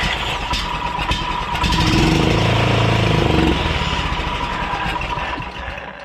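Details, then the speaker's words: Honda Harmony lawn tractor engine that would not start, two-stroke fuel poured into the intake: cranking catches into a short ragged burst of firing for about two seconds then fades, with heavy smoke; fires only on fuel poured into intake. "let's find out if she'll dial to life a little bit we got some two-stroke down the old throat hole there"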